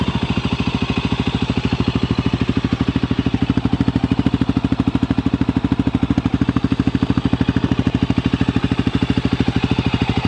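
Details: Brand-new fuel-injected Voge 300 Rally single-cylinder motorcycle at idle: quick, even thumping beat with no knocks, misses or rattles; a smooth, healthy normal tickover.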